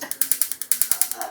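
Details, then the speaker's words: Gas stove auto-ignition that had worked only intermittently: test after connecting the 4-pole ignition box. Sharp, even ticks about ten per second, sparking properly on all burners; ignition working normally. "ഉണ്ടാ sparking ഒക്കെ എല്ലാത്തിലും കൃത്യമായിട്ട് work ചെയ്യുന്നുണ്ട്."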